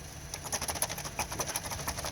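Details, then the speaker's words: 2013 Honda Civic, left front plastic wheel cover moved by hand while parked: light irregular clicking and chattering; loose hubcap, lug-nut rubber washers believed shrunk and no longer holding it, causing clicking over bumps. "It's basically a plastic hubcap. Lug nuts have this little rubber washer on it. And when you tighten up the lug nuts, the washer is supposed to push up on this and hold it in."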